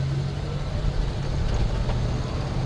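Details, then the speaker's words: 1974 AMC Ambassador after a swap to a used Chrysler TorqueFlite automatic from another 1974 Ambassador, replacing the bad transmission, pulling through the gears with steady engine drone, no slipping, and firm shifts into third; normal shifting. "we're gonna go through the gears and it really does sound and feel much better check it out"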